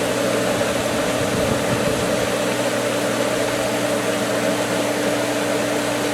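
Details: Pool pump at season opening, skimmer valve opened slightly on air-filled winterized lines. Constant rushing hiss over steady motor hum; pump churning on trapped air rather than solid water, struggling to keep prime.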